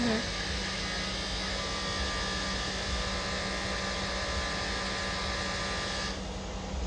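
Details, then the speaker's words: 2013 Mercedes GL550 (X166), front right, compressor triggered by scanner: loud steady buzz from an overheating AIRMATIC air suspension compressor, usually at cold start; suspected damaged valve block, and compressor and valve block replaced. "I went in there and just tried to move it the car up and down realized that the compressor started overheating and it catches it and will stop the compressor"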